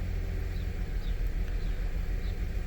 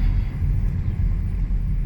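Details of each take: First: 2006 Ford Five Hundred 3.0 L engine idling rough: uneven, loping stumble, scanner shows cylinder 1 misfiring with cylinders 2 and 3 slightly, car shakes; complaint also shaking above 45–50 mph; spark plugs and ignition coils to be replaced. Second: 2006 Ford 500 3.0 L after a tune-up with fuel filter, air filter and spark plugs, which fixed the rough idle and shaking at 45–50 mph: steady, even drone under road rumble while test driving, no misfire or sputter.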